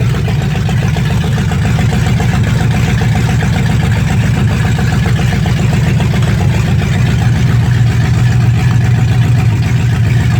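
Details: 1965 Mustang fastback, 289 V8 with Tri-Y headers, first start after sitting 44 years, freezing cold day: deep, even V8 burble at a steady idle with no knocking or stumbling. Normal idle; only a dripping carburetor needing a rebuild.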